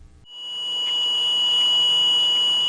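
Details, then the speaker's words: Snorkel TB-series telescopic boom lift (TB37–TB85J) engine protection alarm: steady high-pitched non-pulsing tone signalling automatic engine shutoff, high engine temperature, low oil pressure or alternator not charging; shut off engine and correct the problem. "sound indicates an automatic engine shutoff condition, high engine temperature, low oil pressure, or that the alternator is not charging the battery."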